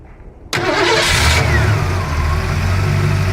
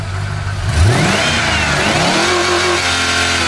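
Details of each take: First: Ford LTD Crown Victoria converted to EDIS ignition with 1994 Lincoln Town Car ECU, tune unfinished: cranks, catches and settles to slightly uneven choppy idle because the ECU expects AODE transmission inputs and thinks it's in Drive. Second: Ford LTD Crown Victoria V8 converted to EDIS distributorless ignition from a 1994 Lincoln Town Car: revs climb smoothly and drop back cleanly with no misses or knocks; revs freely and healthy, though idle hunts slightly.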